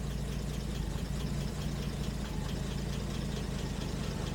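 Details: 1970 Jaguar E-Type Series 2 after oil pressure gauge fix, warm idle with about 40 on the manual oil pressure gauge; steady low, even idle with smooth regular beat, no knocks or misses; normal warm idle.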